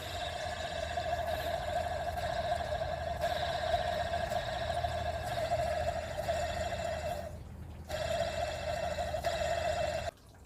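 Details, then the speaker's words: Engine running with a failing automatic belt tensioner: steady mid-pitched growling whir from the belt drive, a worn tensioner pulley bearing. "If you hear a loud growling noise or metallic noise, then that's how you know the automatic belt tensioner is failing. So this is how it sounds like when a bearing is"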